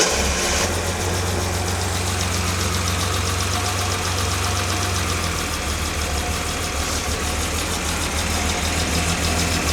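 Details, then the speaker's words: Jaguar XJ6 engine first start after top-end reassembly with new head gasket and camshafts correctly timed, on full choke: steady low rumble, even beat, slightly fast choke idle, no knocks, oil pressure built; running fine. "It's running. I dare say it sounded a bit different on the starter."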